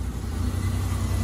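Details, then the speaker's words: 2002 Ford Escape 3.0L V6 just after repairing a blown-out spark plug thread: steady low idle rumble with an even beat, no misfire felt and no ticking or plug blowing out. Running smoothly after the repair. "sounds good sounds real good put our hand on the engine and it doesn't feel like it's misfiring"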